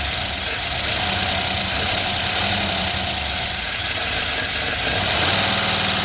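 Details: 1977 Chevrolet Malibu Classic, long unused, after fuel poured into the carburetor bowl: catches and holds a fairly steady idle under a hissy top end, no obvious misfire or knock.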